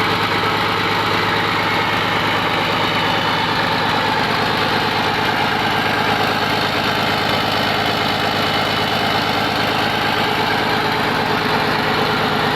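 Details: Komatsu PC200-8M0 excavator diesel engine running after overhaul: smooth, even idle with a steady low beat and no knocks or rattles; normal healthy running.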